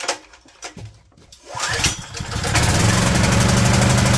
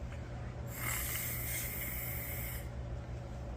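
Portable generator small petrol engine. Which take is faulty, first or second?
first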